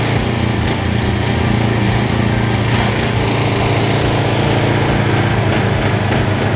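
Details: JCB petrol pressure washer after restoration, water hose and gun connected, trigger held with nozzle removed because the unloader valve is uncertain. The small engine holds a steady, even drone with no misses or surging; running healthy under load.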